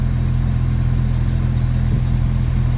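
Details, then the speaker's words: 1999 Jeep Cherokee XJ 4.0 inline-six with 60,000 miles on its spark plugs, cap, rotor and wires, before the tune-up. Slightly below operating temperature, it idles smooth and even at about 800–825 rpm with no knocks or misses. Normal warm idle. "So you can see it's a little below normal operating temperature there. It should be right up at the middle mark. Idling at about 800, I guess, RPMs."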